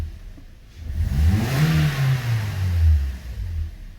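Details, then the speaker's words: 2013 Toyota Corolla 1.8 16v flex with CNG after alternator replacement: engine revs smoothly and settles back, no squeal, chirp or rattle from the belt drive. "carro ligado de novo zero barulho"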